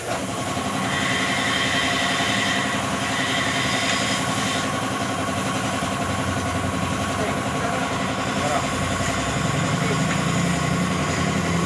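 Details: Yamaha NMAX V2 scooter at about 46,000 km, previously noisy, idling smoothly and evenly with a steady putter after rocker arm replacement; no ticking or rattle from the valve gear, sounds healthy.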